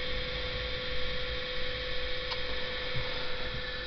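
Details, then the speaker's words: Electro-hydraulic power steering (EGUR) pump unit on a bench, started over CAN bus via CAN-Hacker: steady even electric hum holding one tone, no grinding or rattling; pump motor runs normally. "запускаем лог пакеты данных побежали на диоде ки замигали и электромотор случился"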